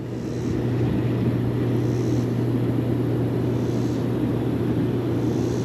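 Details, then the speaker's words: Bullfrog Series X7 hot tub after one seized jet pump was taken apart and reassembled. Both jet pumps run together with a loud steady low hum and water rush, working normally. "Hope you can hear me over the uh noise of the thing, but they're both working."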